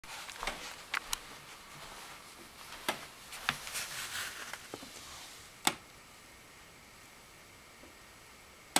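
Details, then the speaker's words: Sharp, irregular clicks near a vent in a quiet room with no steady rhythm; cause unknown, and the sound is vaguely like an electrical discharge. "Okay, I have no idea what that sound is, but it is definitely coming from somewhere around the vent."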